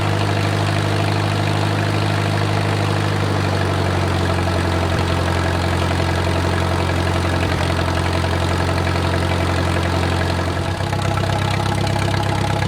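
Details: Wartime H tractor revived after 20+ years of sitting: warm, slowed idle with a deep even beat and no knocking, a small speed change near the end. Oil pressure is great at operating temperature, and a typical oil leak is burning off.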